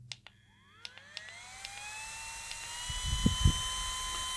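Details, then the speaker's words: Brushless-motor portable turbo hand fan, 3600mAh battery, about 190 g: high whine climbs about two seconds then holds steady over strong airy jet-like rush, good airflow; spins up cleanly, normal. "থেকে বেশ ভালো পরিমাণ বাতাস আমি পাচ্ছি এবং এটার sound অনেকটা জেট ফ্যান টাইপের একটা শব্দ আমরা শুনতে পাচ্ছি।"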